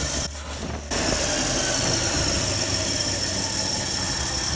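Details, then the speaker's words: Ford F-100 carbureted V8, warmed up, after carburetor idle-mixture adjustments with the air cleaner off: steady, even idle with no hunting or stumble and a little hiss; runs smoother and smells better than before. "I know it's definitely working better than it was it's a lot smoother than it was it smells a lot better"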